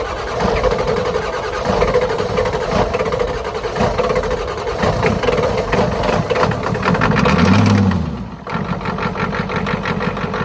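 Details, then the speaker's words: 1991 Ford F350 IDI diesel after replacing leaking injector return lines: uneven idle clatter that bogs down as each injection line is cracked to bleed it; air in the injector lines causing rough running. "oh yeah so there you have it just track each line until it kind of bogs down and then poting them back up sounds good good deal good deal"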